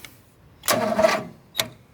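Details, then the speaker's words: John Deere 225 being jump-started, five-year-old battery, starter possibly failing: a half-second starter groan dies, then one lone click. A failed crank, likely a dead battery. "not again it's dead now it's dead she's done"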